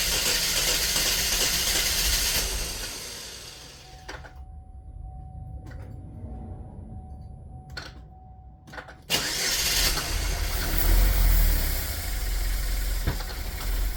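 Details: 2010 Chevy Equinox, about 112K miles, burning oil with heavy blow-by, during a Seafoam ring-cleaning treatment: engine catches, runs unevenly, nearly dies then picks back up, struggling to idle; owner suspects it sees no airflow.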